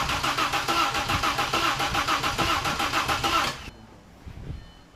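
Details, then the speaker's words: Audi with manual transmission, backup engine just installed, first start attempt, battery 12.4 V: starter cranks evenly about 3.5 turns per second for several seconds, no firing; crank no start, disconnected vacuum line suspected. "so now what's wrong not enough voltage maybe that I forgot something"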